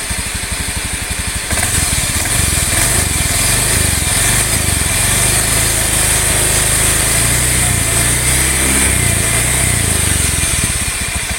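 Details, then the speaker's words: Honda automatic scooter (Beat FI/ESP type) revving: rough, droning hum swelling with revs from the central crankcase, not CVT or final gear; quiet at idle; worn crankshaft bearings, likely dirty from low or inconsistent oil changes. "Ini lebih disebabkan oleh suara laher atau bearing krek as, baik yang kanan maupun yang kiri."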